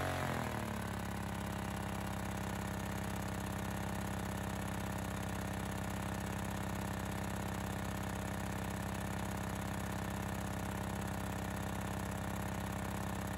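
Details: Honda EX1000 suitcase generator during load test, after hard starting with half choke (owner suspected fuel issue): settles after start into steady, even drone, constant speed, no hunting or misfire. Normal running.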